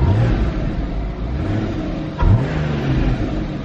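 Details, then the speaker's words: Porsche 981 Boxster base boxer engine, salvage car after road-debris hit, fixed by replacing oil pan: steady idle, one small blip and settles back with no knock or rattle; healthy light rev. "all right seems okay"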